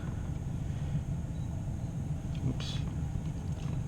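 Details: 2001 Ford F-150 blower fan running after blower resistor replacement (previously worked only on high); low steady fan rumble at even speed, no squeal or ticking; resistor glows, normal; normal blower operation.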